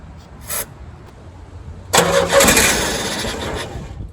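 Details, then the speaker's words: 1986 Chevy S10 Blazer, 4-cylinder, 4-speed, 2WD: no fuel pump heard, so starting fluid was sprayed in the throttle body. A click, a loud burst, then it dies within two seconds. Ignition confirmed; owner suspects the fuel pump. Brief start, then stalls. "Well, that was freaking awesome. So we do have ignition, which is great. Throw a little more, see if I can get it to stay running for a little bit longer."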